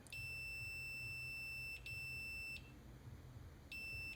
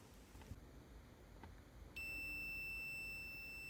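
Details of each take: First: Computer mouse left-click micro-switch before repair, which the owner says releases while held: on the continuity meter the beeper cuts in and out in short uneven bursts instead of holding steady and needs extra pressure to beep; worn, dirty contacts making poor connection. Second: Multimeter continuity test on a reassembled, cleaned computer mouse left-click micro-switch, about 0.1 ohms closed, checking the switch click lines up with the beep; quiet, then a clean steady high beep holds, showing continuity.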